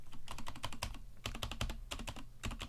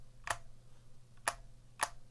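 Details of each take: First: Vortex Cypher keyboard with stock Cherry MX Silver linear switches and stock keycaps, unflipped split spacebar: each spacebar press gives a clean, even thock with no rattle or ping; stabilizers sound well seated, normal spacebar sound. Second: Vortex Cypher keyboard with stock Cherry MX Silver switches; three sharp taps, each with a short hollow ring behind the click; some hollowness from the plastic shell, judged not too bad.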